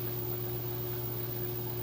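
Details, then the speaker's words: LG high-efficiency top-load direct-drive washer with TrueBalance, heavy towel and jeans load, spin reaching apparent top speed: steady low drone with faint higher tone, very stable, no knocking or rubbing; normal spin cycle. "and it has just continued to speed up here I think this is its top speed so it's very stable still even at this speed"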